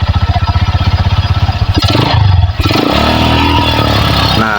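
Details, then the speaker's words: Megapro Primus with severe stuttering, original CDI fitted replacing aftermarket one, battery and corroded red wire already fixed: uneven stumbling idle skipping beats on throttle blips; misfire persists, so ignition ruled out, carburetor to be checked. "Itu kelihatan e kedengaran jelas berat Parah ini padahal CDI ori Saya kira pengapian yang bermasalah ya"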